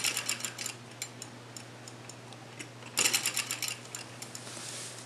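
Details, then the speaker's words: Electromechanical pinball spinner: a fast flurry of light ticks fades as the spinner slows, then another burst follows. The leaf switch opens and closes quickly to score, so it is working normally. "and that opens and closes the leaf switch quickly and then that's what gives the scoring effect"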